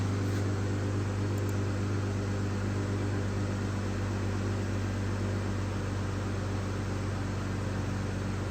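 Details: 2015 Dodge Grand Caravan 3.6 V6, earlier running rough with P0303 cylinder 3 misfire and P219A bank 1 air-fuel imbalance, restarted after fuel trim reset; quiet, steady low hum, even idle, no stumble or tapping; normal idle, expected to be fixed.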